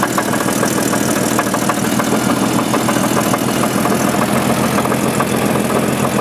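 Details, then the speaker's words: 1988 Jeep 4.0 Renix at idle, started by a jerry-rigged switch. A light, fairly quick tapping knock about three per second rides over a steady idle and disappears when driving. Owner says it's not rod knock and suspects piston slap, slightly louder at the rear. "My guess is it's not a rod knock because rod knocks knock all the time. As soon as you add a little speed to this and go down the road, the sound goes completely away."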